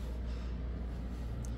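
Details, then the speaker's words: Home furnace after a burnt part and the thermostat were repaired: low steady hum with fresh airflow from the vent, no rattles, knocks or squeals; runs quietly, normal operation. "Tahimik siyang umaandar. Pero ba tahimik na umaandar? Ibig ko sabihin, hindi po siya maingay."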